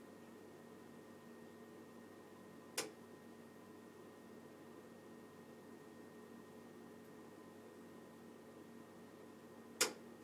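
Two sharp, loud clicks about seven seconds apart over a faint steady hum; the boiler is clicking, cause not yet known.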